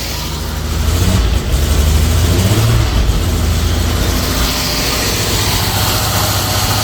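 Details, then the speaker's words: 1988 Jaguar Series 3 V12 started after seven years sitting, cold and not yet at operating temperature: lumpy, stumbling idle with irregular pulses; popping on the left bank, owner suspects cold start sensor; rough idle, cause not confirmed. "she's popping on the uh Bank B is it on Bank a I don't know on the Left Bank"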